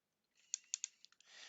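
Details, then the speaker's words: Nikon P900 camera powered on after gearbox repair: short lens motor whir broken by three or four sharp, irregular clicks as the zoom extends; something still suspected binding inside the zoom mechanism, needing full strip-down. "That clicking, I don't like that clicking noise. I do not like that at all. It shouldn't click."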